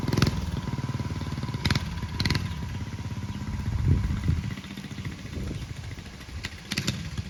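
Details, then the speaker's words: Early-1970s Pacesetter Trailbuck mini bike, riding after replacing a failed torque converter and re-setting it for jackshaft use. Revs and pulls smoothly under load with no slipping or clatter, engine and drive sound healthy. "Well, as you can see, I've successfully fixed my Pacesetter Trailbuck mini bike. I just had to change up the torque converter a little bit."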